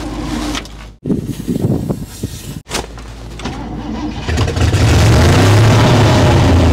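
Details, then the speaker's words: 1960 Chevrolet Impala four-door, sat for decades, first run on its own after flooding and carburetor float seating: it catches and settles into a deep idle that swells and fades rhythmically; pulsing idle, cause unknown. "thank you I don't know why it's pulsing like that I'm not 100 sure why it's doing that"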